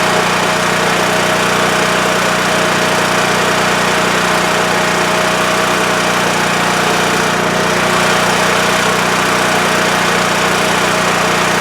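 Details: WEN TF1450X 14500W tri-fuel generator after repair, formerly dying after 20 seconds from lost spark: engine drones at constant governed speed with clear steady tone, no dips or stalling; running normally, display reads 232 volts.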